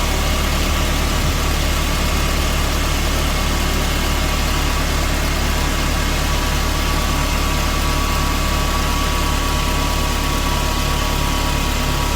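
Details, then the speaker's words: 25-year-old Mercedes SLK R170 idling, heard from under the car at the fuel pump and filter, checked for a petrol smell: a steady loud whir. The aging fuel pump runs noisier than it should. "Quite noisy, I can hear it running. Let's see if you can hear it. Yeah, that's quite a whir there, isn't it? It's an older motor."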